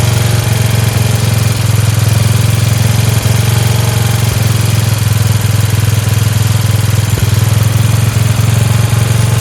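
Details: Free Dayton lawn tractor with 11 hp Briggs single-cylinder engine, running on its own after choking: steady, smooth putter idling a touch high, with a spring disconnected; otherwise healthy and clean-running, "like a hot rod."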